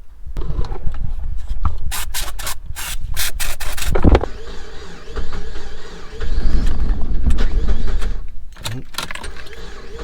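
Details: Mazda MX5 with water in the fuel tank, brake cleaner sprayed into the inlet: steady cranking with a few uneven half-catches that never pick up; won't start.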